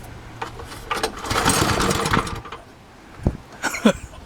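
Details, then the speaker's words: Small engine being run dry before shed storage: it surges and coughs in ragged, uneven bursts, then stumbles and dies as the fuel runs out. "that's the idea we don't want it to run okay it's out of gas"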